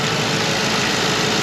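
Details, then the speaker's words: 1952 Dodge pickup, off the road 30 years, cold weather with temps in the teens, steady even idle with no knocks, misses or squeals after repairs; power steering fluid overfilled but no longer leaking. "the bubbles on sounds good it really well there's enough Lo in there I can tell you it's overfilled but that's that's fine it's not leaking anymore"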